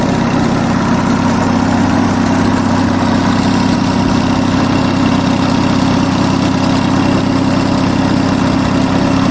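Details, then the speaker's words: Onan US military generator engine, warming up with radiator cool at bottom and warm at top, holds a steady even drone at its governed 1800 rpm after governor adjustment; no hunting, running nicely. "This is meant to run at 1800 RPM, by the way. That sounds like about 1800 to me."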